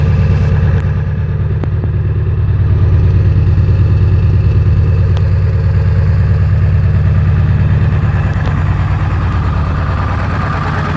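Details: 7.3 diesel with twin pyrometers idling with an uneven, loping knock, about three beats a second that never settle; rough idle with blow-by.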